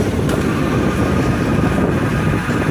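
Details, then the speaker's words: 2019 Honda Titan 160 single-cylinder, running in gear with clutch lever held: steady low roar that goes quiet in neutral, from a worn clutch release bearing on the clutch side. "ela só faz o ruído no momento que ela tá embaixo vou botar embaixo aqui e vou descer a ladeira vou logo a embreagem bota no neutro ficou calado"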